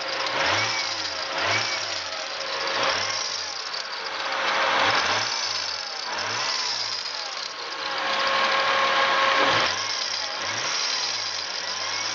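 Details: Toyota Supra/Lexus GS300 2JZ-GTE VVTi twin turbo: harsh metallic clashing rattle swells as revs climb and fades at idle, sounding like a water pump or crank pulley. The cause was a worn drive belt, and replacing it fixed the noise.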